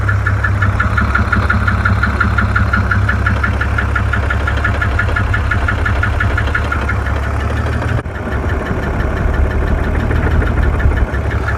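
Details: 2002 BMW E46 330i M54 idling: ticking that turned into a steady, growing knock about three a second; owner says it seems to come from the rear between transmission and engine, cause unknown, plans to drop the oil pan.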